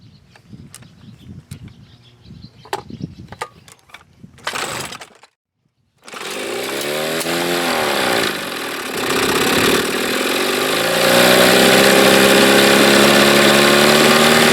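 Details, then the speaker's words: Mercury 7.5/9.8 hp two-stroke outboard after debugging: after a few handling knocks it starts and settles into a steady, crisp buzz with no misfires. A good water stream shows the impeller and cooling are fine. "Stream of water, that means it's getting plenty of cooling going on. The impeller is just fine in that motor. Sounds good, doesn't it?"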